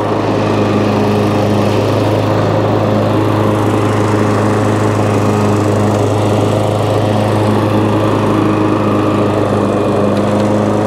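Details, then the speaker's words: Old Hayter 56 lawnmower after adjusting at the throttle end to fix a non-working drive; steady, even engine buzz with drive lever engaged, no slipping squeal or labouring, self-propelled drive now pulling properly. "as you can see just by putting the lever in the drive now engages and you would never you would never be able to push this um for all day long"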